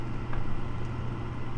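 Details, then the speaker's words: Gas furnace with hot surface igniter, power restored: inducer motor comes on with a steady low hum, even and free of rattles or scraping, while 123 volts reaches the igniter; normal inducer motor running. "so let's turn our power back on the inducer motor will come on and the next thing that should start is the igniter"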